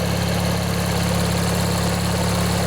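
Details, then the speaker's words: Old Montgomery Ward/MTD riding mower, 16 hp Briggs & Stratton flathead opposed twin, after replacing the worn starter motor; long unstarted. Steady, even low thrum at idle, no misses, knocks or surging; slight smoke expected to burn off. Normal idle. "let this run a bit let you guys listen if you want yeah it runs real nice you can see it's kind of smoking a bit but it'll burn out i'm sure"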